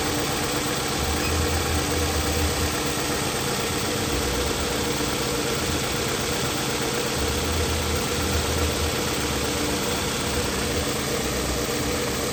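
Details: Toyota Camry at idle with code P0301: an uneven, lumpy beat with low thumps dropping out irregularly every few seconds as cylinder 1 misfires.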